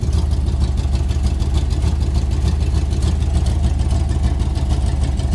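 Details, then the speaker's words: 1992-93 Chevy Blazer K5 4WD, cold day, after about 10 minutes running: steady deep idle with even low rumble and faint ragged pulsing; exhaust tone changed a lot, no longer spitting water; owner suspects blown head gasket or intake manifold, not confirmed. "Alright guys, so it's been about 10 minutes. It has changed its tone big time. It ain't pissing no more water out."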